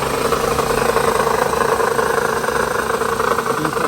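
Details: 2008 Toyota Highlander 3.5 idling before water pump replacement: a constant gritty, rumbling whir that doesn't let up, from a worn water pump bearing.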